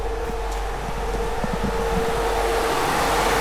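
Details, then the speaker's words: Ford AU Falcon with newly wired thermo fans switched on: a steady whooshing drone at a constant mid tone with no rattle or scrape; both radiator fans run normally, pulling air through. "Both fans are on. So, they're pulling the air through, which uh is good cuz you don't want it pushing the air, hot air from the engine through."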